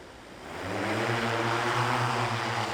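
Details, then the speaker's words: MFD 3000 heavy-lift drone with Pixhawk 2.1/Cube and HereLink, taking off in altitude hold then hovering in self-level mode, returning to center after stick inputs; motors spool up into a smooth, steady low hum, a healthy hover. "now we're in a hover so it's in a self level mode right now so as you can see as I give inputs it's coming back to Center"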